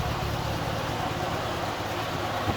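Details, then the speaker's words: Honda GL1200 after carburetor restoration, timing belts and tune-up: low steady idle about 900–1,000 rpm, carburetors fully synchronized, very quiet, no misses or knocks; normal idle. "got the engine Island about 900 1,000 RPM and the carburators are completely synchronized and this engine really can barely hear the bike run"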